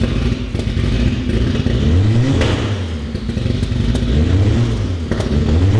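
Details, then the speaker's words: Fully built Honda B18 in a Civic, first start after DW300 fuel pump, downpipe and starter ground fix, revving cleanly in even sweeps and settling; running perfectly, normal. "Yes. As you can hear, it's running perfectly."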